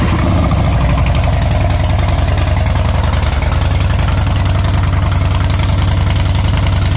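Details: 2014 Harley Softail Classic V-twin, before or after Vance and Hines Short Shots exhaust install: loud deep lumpy potato-potato idle at steady beat about 158 per minute, strong low rumble, no knocks.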